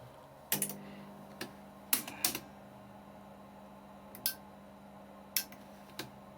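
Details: Telefunken 900M (rebadged JVC HR-C3, 1982 portable VHS-C deck) that wouldn't load tapes, first switch-on with 350 mA slow-blow fuse fitted, current up to about 1.3 A: low steady motor hum with scattered mechanical clicks; loading mechanism working normally.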